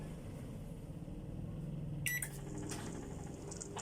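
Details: Microwave oven after cooling-fan motor was removed, sanded and reinstalled to cure loud noise: steady low hum with a brief beep midway, no rubbing or rattling from the fan, running normally.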